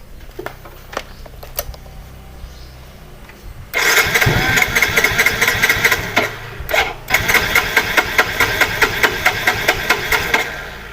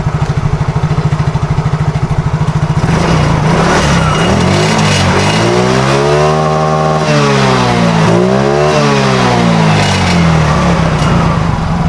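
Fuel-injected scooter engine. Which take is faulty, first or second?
first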